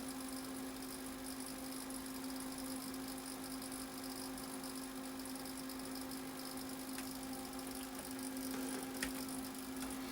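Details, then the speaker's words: Apple Macintosh Classic switched on for the first time before restoration, screen not properly lighting; steady low hum with a faint whir and light ticking from inside, source not yet found; whirring noise at power-on. "I can hear circuitry worring away. inside trying to do something."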